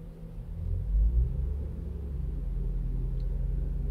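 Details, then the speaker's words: Toyota Avalon with a cold-start misfire on cylinder 1, after injector cleaning: the revs bump briefly and then settle to about 800 rpm in a deep, steady idle with no stumble. The idle is now normal. "So abangan natin pag normal yung RPM. So ayan bumaba na. Nagnormal RPM na siya ano nasa 800 RPM. So mukhang okay na"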